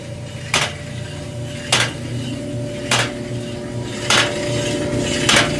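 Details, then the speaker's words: Free Electrolux front-load dryer EIMED60LT3, heating fine: even motor hum with a sharp knock about every 1.2 seconds in time with the drum, before repair; a loose panel contacting the drum. "As you can tell from the last video, this dryer obviously has some issues. It makes noise, you can tell from the video, and I checked and it did have heat."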